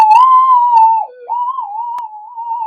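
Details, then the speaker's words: Minelab GPX 5000 metal detector after component upgrades to cut noise, mono mode with coil indoors near electrical equipment, gain 20 at full audio: wavering whistle sliding up and down instead of a steady threshold, heavy electrical interference. "you can hear all that noise um there's buckets of interference but we'll try it"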